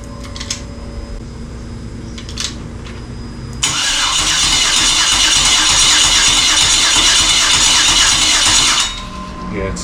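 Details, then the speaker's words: 1994 Chevy C1500 with swapped 2003 Yukon 5.3 L LS, fuel pump primed: even, quick cranking for several seconds, never fires; crank no start, suspected spark, possibly an unconnected ground wire. "now I'm going to crank it and we'll find out if it's fuel or spark that it's missing"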